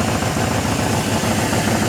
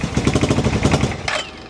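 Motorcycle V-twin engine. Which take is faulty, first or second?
second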